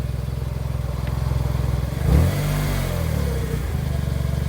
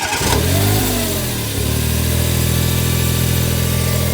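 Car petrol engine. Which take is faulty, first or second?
first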